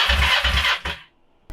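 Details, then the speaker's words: Kawasaki Ninja 500R project bike, cranked with the intake removed for cleaning (bird nest found in the intake): short burst of strong, even cranking pulses with a firm beat; lots of compression, healthy. "hey that thing has a lot of compression oh man i love that sound"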